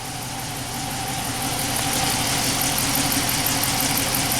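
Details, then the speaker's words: 2011 Chrysler 300 V6 idling with an uneven, lumpy, shaky beat under a hissy top end after cam and both cylinder heads were replaced; codes P0300 random misfire plus engine oil pressure sensor; misfire not from ignition. "now it has a misfire there's nothing better than doing a misfire today or tonight you see the engine is pretty shaky right now"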